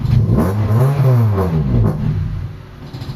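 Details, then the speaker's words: Honda Civic with chronic idle problem: revs up and down twice, then idle sags lower and lower instead of recovering, nearly stalling, battery light on at low idle; idle drop after revving. "So bumabagsak talaga 'yung idle niya pagka ano tapos kung mahina 'yung menor, umiilaw 'yung indicator ng battery."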